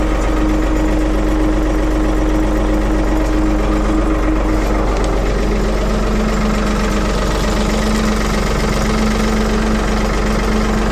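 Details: 1975 Ford 550 backhoe "Big Mo" cold-started after repair, out of gear in neutral, fires up like a banshee and holds a steady, even idle with a low constant thrum while being checked for leaks; normal idle.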